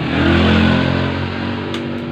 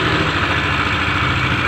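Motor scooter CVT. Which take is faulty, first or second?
second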